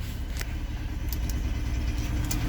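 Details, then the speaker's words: Saturn, hard to start, at idle: deep, uneven idle that stumbles and chugs like cylinders not firing, sputtering out the exhaust; owner suspects a fuel injector or coil pack, cause not confirmed. "here sputtering listen like while the cylinders ain't firing [Music] i don't know fuel injector"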